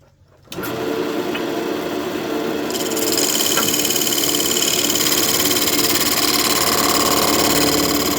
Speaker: You can hear that chatter, that's where we're cutting those square corners off.